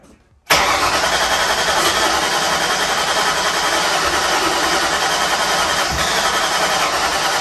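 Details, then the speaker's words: Ford Mustang with Holley Terminator X EFI, first start attempt after fixing injector power, fuel smell and slight combustion: steady cranking roar without clean catch; misfiring no-start, owner suspects dual sync distributor installed off a stroke. "But because that's kind of what it sounds like. Like timing's off, it's not really firing right."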